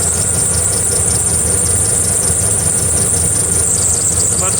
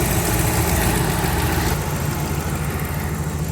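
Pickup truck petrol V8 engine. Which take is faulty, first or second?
first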